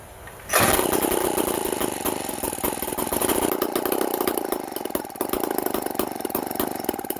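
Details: 1950s David Bradley Sears chainsaw made by Strunk, Fairbanks Morse starter, started with fuel on and a little choke: fires after half a second into a rapid, fairly even two-stroke buzz that keeps running; sounds healthy.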